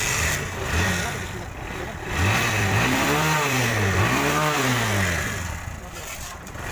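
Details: TVS Star City 110cc motorcycle after air filter service to cure exhaust backfire and misfire: single cylinder blips up and settles back cleanly, no popping or stumbling; it runs evenly.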